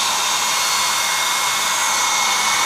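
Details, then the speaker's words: Portable hot-air soldering blower, motor run directly on 12 V adapter via resistor: steady high whoosh with constant faint whine, no wobble or rattle; motor healthy at maximum speed, airflow fairly strong. "kecepatannya maksimum ya di sini, dan hembusan anginnya lumayan kencang ini."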